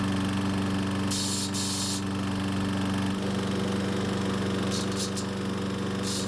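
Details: Troy-Bilt overhead-valve walk-behind mower running: steady drone with a fast, uneven chatter of about four rattles a second on top; the terrible chattering turned out to be the recoil starter, while compression and valve lash checked healthy.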